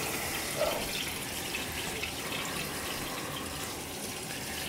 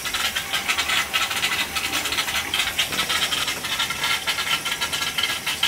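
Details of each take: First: Gas boiler hot-water heating zone after purging air through the supply; smooth, even hiss of water flowing with no gurgling or air bubbles, zone purged and quiet. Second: Gas boiler hydronic heating loop with cast iron baseboard, after pinhole leak repair and bad expansion tank: steady airy hiss with irregular light rattling in the pipes, no motor; trapped air being purged from the loop.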